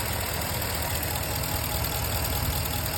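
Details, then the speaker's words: 5.7 Hemi truck on Red Line 5W30 oil (about 600 miles on it), warm at 212°F after a long freeway drive, microphone at the passenger-side engine bank from above and under the wheel: low, steady even idle, only injector ticking, no piston slap. "i hear nothing but an injector speaking passenger side"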